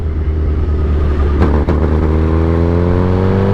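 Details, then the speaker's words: 2008 Suzuki GSX-R 1000 with new velocity stacks, ridden in low gears: engine note climbs but hiccups at low RPM, running normally past 3,000 rpm. Owner suspects a transmission or clutch problem. Stutter under load, cause unconfirmed. "look that's what it does every time the low gears or the low [Music] RPM see I'm going have to check out see maybe if there a transmission issue"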